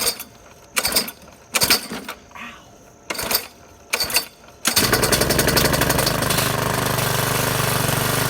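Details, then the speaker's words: Craftsman 21-inch mower with a Briggs & Stratton 550 series engine, trash find, primer pressed three times, no blade fitted; four pull-cord tugs die out before the fifth catches, then runs unthrottled and smoking; owner suspects flooding: hard starting. "I think maybe it was flooded."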